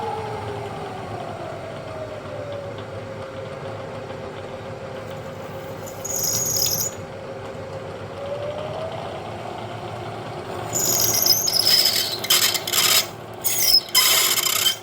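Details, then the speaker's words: 1940s 14-1/2" South Bend lathe, freshly reground 5/16" drill on donated tool holders: sharp screeching bursts as the bit skids without cutting on hardened steel; annealing planned next; drill bit rubbing on hardened steel. "Are you kidding me? This is clearly not working. I need to take a different approach."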